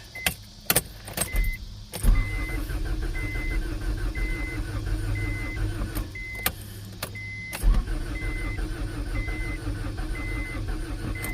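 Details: 1992 Acura Integra, converted from automatic to manual, with new distributor and starter, sat over five years after overheating: starter cranks in two long bursts with a chime, never fires; owner suspects no fuel pump, not hearing it.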